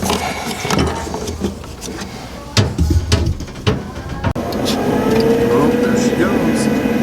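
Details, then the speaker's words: Laundromat gas furnace inducer motor that had not been coming on, after wiring reconnected: clatter, then a smooth steady even whirr as it draws air, pressure switch trips and gas valve clicks; normal inducer running. "it's right now sucking air out this thing's tripped now to light up this issue lights up there we go"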